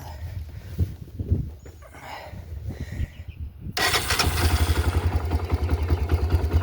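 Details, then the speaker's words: Honda 300EX ATV, cold engine, choke lever up: catches abruptly after cranking into fast even single-cylinder putter, revs climbing on choke; normal cold start. "You see it started right up. And you can hear it. The RPM's kind of going up."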